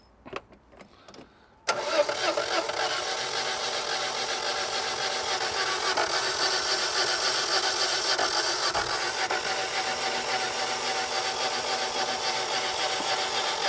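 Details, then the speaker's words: 1985 Citroen 2CV6 Special two-cylinder barn find with freed engine, new plugs, new starter motor and new electronic ignition: long steady cranking at about three and a half turns a second with no firing, because a spark plug lead is off. "hang on hang on we've got a plug lead off"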